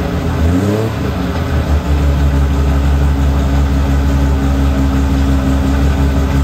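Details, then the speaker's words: TVR 2500M classic car during a jump-pack test; it starts without needing the pack. It cranks briefly, catches and settles into a strong, steady run with an even, low exhaust note; it starts and runs healthy. "this one started we'll try the next tbr"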